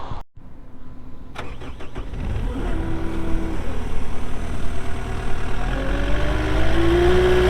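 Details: 2022 Caterpillar 259D3 skid steer, 2,058 hours, diesel: brief crank, then catches cleanly and settles into an even, steady low rumble as revs climb slightly; normal start and idle.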